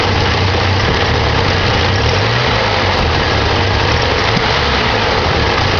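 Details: 1987 Ford Ranger 2.3L four-cylinder started after sitting a while: low idle with an uneven, lumpy beat and occasional stumbles; rough idle, owner suspects the carburetor needs rebuilding or tuning.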